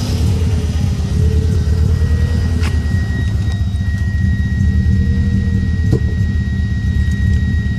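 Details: 1994 Subaru Impreza running and revving with an uneven, stumbling low beat in the exhaust note; misfire, owner unsure whether coil pack or MAF is the cause.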